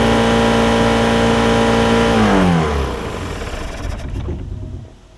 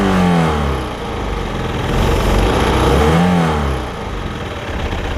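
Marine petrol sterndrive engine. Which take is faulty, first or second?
first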